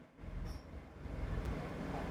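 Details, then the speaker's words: Perodua Axia (second generation, 1KR engine), engine running, AC compressor not engaging with no fault codes; compressor fed direct power: soft clutch click then a low steady hum; it runs, so not an ECU fault. "Oke, permasalahan dia bukan masalah ECU lah. Kita tengok, kita direct, dia hidup."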